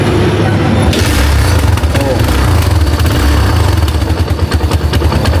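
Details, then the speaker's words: Barako 175 single-cylinder motorcycle with stiff kickstarter, after teardown and reassembly with timing marks set: steady even thumping at idle, no knocking or ticking; sounds healthy and quiet. "Halos bagsak lang. Wala na kaingay-ingay."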